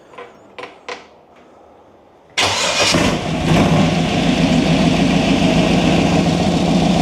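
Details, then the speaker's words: 1923 T-Bucket hot rod, small-block Chevy 350 V8 with Turbo 350 transmission, startup: handling clicks, then V8 fires and settles into fast steady idle that stays too high; idle still being adjusted. "Idle's still a little too high. Still kind of working on that though."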